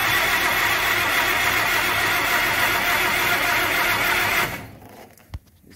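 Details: First start attempt on a freshly set-up carburetor, fuel delivery not dialed in, choke open, starter suspected loose or faulty: starter churns about four beats a second for several seconds but never fires; possibly flooded, suspected.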